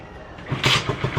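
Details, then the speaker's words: Yamaha SZR single-cylinder after connecting rod bearing and crankshaft bearing replacement, kick-started (no battery): catches and settles into an even, quiet idle; the former ticking/knocking noise is gone, engine now healthy. "Tahimik na yung makina. So wala na yung lumalakitik pag tumunog. So yan, tahimik na siya."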